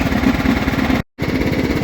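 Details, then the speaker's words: John Deere STX38 lawn tractor, Kohler 12.5 HP single-cylinder, running with a hard, rapid slapping knock on every firing stroke; cause found to be a sheared flywheel key, later replaced. "And I'll show you what I mean about the running. the engine and see if you can hear that. Very strange."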